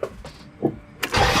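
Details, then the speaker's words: Chevy Nova after a crash in which a bolt punctured the exhaust manifold: short crank, then loud raw rasping roar at idle from the holed manifold; engine also has an existing knock. "in case you couldn't see earlier that loud sound is because this bolt this bolt poked a hole in my exhaust manifold"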